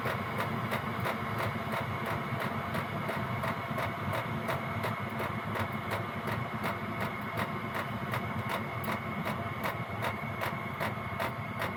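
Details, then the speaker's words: Gearlasso 8kW 12V/24V Chinese diesel heater in manual gear mode, settled at P1 lowest constant output independent of temperature: steady fan hum with even pump ticking about two to three clicks per second; normal low-output running. "And that's now settled back down to the lowest setting. And that's the lowest power output, constant power output."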